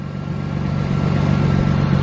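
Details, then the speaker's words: Mazda after its exhaust gasket leak was repaired with a flux-core MIG welder: a steady low idle that firms up slightly with revs, with no ticking or puffing leak at the exhaust. Sounds sealed and much better than before the repair. "wow that sounds that sounds way better than it did before eh"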